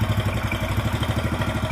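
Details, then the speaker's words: Yamaha Mio Sporty scooter with lost compression from worn valves and valve seats: it starts easily but idles rough and lumpy with clatter. Oil level dropped over 50% since the day before, so it is burning oil. "okay on double start, it's very easy to start, the sound is a bit rough, Bro, because the oil volume has decreased quite a lot"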